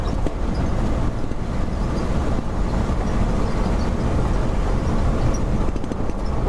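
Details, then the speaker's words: 1969 Ford F-350 with swapped 352 FE V8, lugging in third gear: deep steady smooth pull with road noise, no knocks or misses; big improvement over previous worn 360, healthy under load. "yeah i think the engine's running pretty good it's got lots of power he doesn't mind being lugged it's a lot of big improvement from uh the previous setup"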